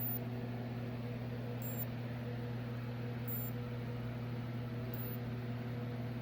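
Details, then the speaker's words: Sanyo FW55D25F TV with no power: power button does nothing and the supply chirps in short high-pitched beeps every second or so over mains hum, voltage rising then shorting to ground and looping, from a shorted mainboard. "you can hear it usually these beeps come from a shirt the voltage you try to raise then shorter to the ground go down and keep looping like that"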